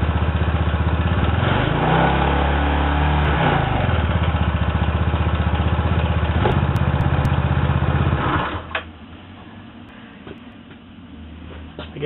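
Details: Zuma 125 scooter started on its center stand after a variator upgrade, not run for weeks, checking for binding. The engine catches, blips up and settles to an even idle with a steady beat, no binding or rattle. Normal start and idle.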